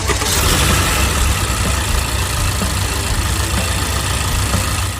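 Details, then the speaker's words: Honda Odyssey just arrived from Jiangxi with an engine noise while driving; at idle a faint, irregular knock sits beneath a steady low rumble. The cause is not yet known, and the engine is to be disassembled next. "台从江西过来、刚到店的本田奥德赛，行驶过程中发动机异响，听听刚来时的异响。"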